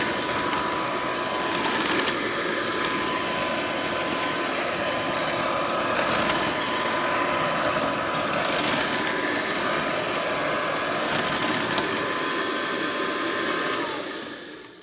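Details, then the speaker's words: Hoover Model 25 upright vacuum (c. 1936–1938, almost 90 years old, no disposable bags) running: steady, quiet motor whine with fast even ticking from the spinning brush roll, winding down at shut-off. Belt still turning, still has suction, normal running. "so almost 90 years old and it still got suction that belt is still turning i'm not sure when the brush roll was last replaced but i can hear that brush roll turning and it's quiet"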